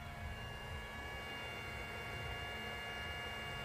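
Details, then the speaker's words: 2011 Mercedes S350 W221: steady whir with faint high tones as a module's cooling fan starts about two seconds after being plugged back in; the module then reboots and reports device unavailable. "we can hear the phone running and basically I would plug it back in within two seconds the fun would start"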